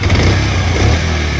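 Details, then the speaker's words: Bajaj Pulsar 125 (E20), new bike at 9,999 km: engine makes a "kat kat kat" ticking over a low steady thrum while running; source not identified, owner asks what the cause could be. "9999 इतना kilometre चला हुआ है और इसका engine से एक sound आ रहा है कट कट कट करके"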